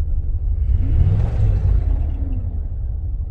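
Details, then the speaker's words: 1998 Jeep Grand Cherokee Limited 5.9L V8, 119,000 miles, abandoned five years, first drive: low uneven rumble swelling when revved, lumpy and shaking; possibly running on six or seven cylinders; coolant suspected low. "it's shaking yeah it's not running the best i hear a bunch of coolant when i rev it up might be a little low"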